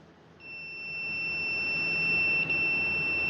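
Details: Husqvarna 150BT backpack blower that wouldn't shut off: continuity meter beeps steadily, cutting out briefly when the kill-switch wiring loom is flexed, revealing a broken copper conductor inside the insulation.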